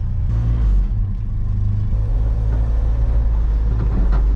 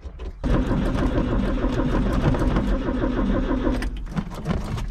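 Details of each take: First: Old mini U-Haul box truck (Ford Courier), restarted after sitting a couple of weeks, running after the fuel pump wire was reconnected: deep, steady engine rumble with a slight rise in revs and no knocks or misses before it cuts off; it runs fine. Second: Old mini U-Haul box truck (Ford Courier) after sitting 35 years, with the fuel pump wire disconnected: steady starter churning at about three beats a second for several seconds that never catches; it cranks but won't fire.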